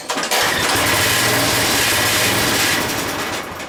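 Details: Craftsman 5 hp 14-inch rear-tine tiller after carburetor cleaning and refit using the Sears parts diagram, first start choked with fresh gas: a few pulls, then it fires and runs on with a steady, even buzz.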